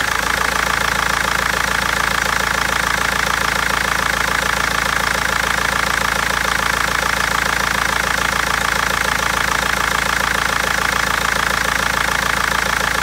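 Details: BMW 320d diesel with a hard, fast, even clatter at about 207 per minute over a steady idle with an uneven edge and misfires; injectors or tappet suspected, cause unfound after over a month.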